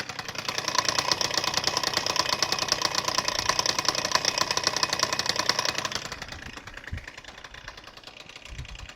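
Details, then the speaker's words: Freshly rebuilt Suzuki Address 110 scooter (Japanese parts) developed a rattle on a ride; it starts first pull, smokes from generous oil, and idles with a fast metallic ticking knock strongest at the magneto side: a loose flywheel rotor. "Поэтому давайте заведем, посмотрим, как это звучит. Завелся с одного раза, кстати, с первого. Масло владелец не жалел, вот видите, дымит хорошо. И вот где-то со стороны непосредственно магнита вот такой у нас звук."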